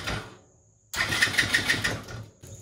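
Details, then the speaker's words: TaoTao ATA110 110cc ATV engine after the top-end rebuild (new piston, rings, sleeve, valves), wired on the bench with the spark plug removed: clean, even starter whirr spinning freely without binding; normal cranking. "so i unplug the spark plug everything's live so as soon as we turn the key on we're gonna hold the brake together see what happens"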